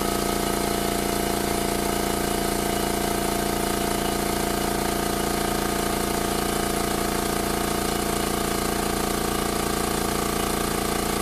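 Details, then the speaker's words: New Makita MAC700 2 hp oil-lubricated compressor with a 2.6 gallon tank, filling from 0 psi to about 130 psi in about 59 seconds: steady, even, low thumping pump beat with a smooth motor drone, no knocks or squeals; filling normally. "So there you have it. It's about 59 seconds, just under a minute to go to, looks like about 130 psi."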